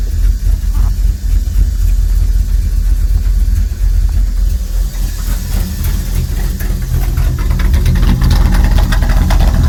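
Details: 1999 Dodge Ram 1500 5.9 V8 with an intermittent rough, lumpy idle only when idling out of gear, a loud hiss from the top of the engine and a rich smell; vacuum leak possible, cause unknown.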